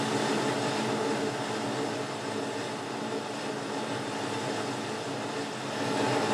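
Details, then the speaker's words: Lathe parting off a rotary broach locking ring: steady cutting noise with a rough, uneven chatter about four times a second as the parting blade hits the two cross holes. "chattering you can hear there is the parting off blade hitting the two holes that are going through"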